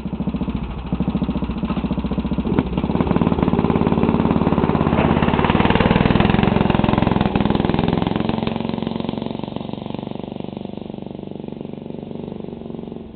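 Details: Craftsman racing mower with 11 hp Tecumseh single-cylinder and straight-pipe exhaust: loud, rapid bark through the open pipe swelling with throttle then easing off, firing evenly without stumbles; runs normally.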